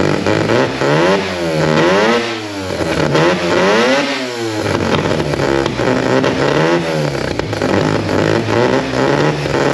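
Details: Mazda RX-4 race car with 13B rotary and old Haltech ECU on low battery voltage (about 11 V, suspected alternator issue): revs surge up and down unevenly, hunting and never pulling cleanly; rough running, cause unconfirmed.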